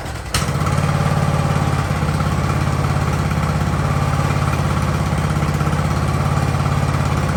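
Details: Free Ariens riding mower with hydro drive, sat at least 2 years, in about 30°F cold; engine catches, then settles into an even, steady low thump at idle with no stumbling or dying, sounding healthy.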